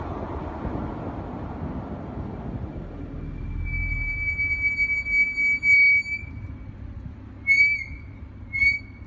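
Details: BMW 440i F36 with M Performance brakes, front brakes squealing in sharp, high, steady bursts on braking as road rumble fades; pads still good with normal wear pattern, cause unknown.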